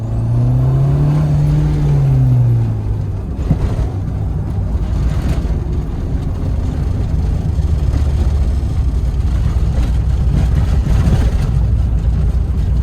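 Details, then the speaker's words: 1986 Dodge Daytona Turbo Z Shelby rebuilt, first road test with vacuum issues and boosting too high; low engine drone and road rumble while driving, with scattered loose knocks and buzzes over bumps from interior body rattles. "thing sounds like the 80s. Hear all the rattles?"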